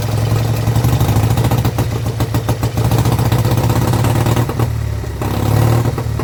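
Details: Vintage Douglas engine, first run after 40 years under a hedge, following carb jet cleaning and mixture screw tweaks of an eighth turn, running without a silencer. It gives a steady, fast single-cylinder beat with an even low drone and slight wavering: normal running.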